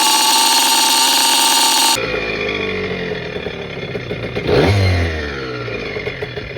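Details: Restored 1987 Kawasaki KDX80 two-stroke on a test ride with the exhaust baffle removed for more power: the buzz rises and falls crisply with the throttle, with no slipping or clatter under load; it runs healthy.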